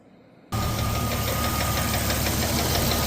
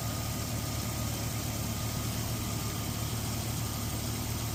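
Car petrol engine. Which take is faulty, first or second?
first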